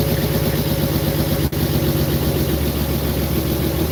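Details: Car engine started for the first time after a three-year build: uneven, lumpy idle beat over a steady low drone, as if one cylinder isn't firing; owner suspects a connector or injector, not confirmed.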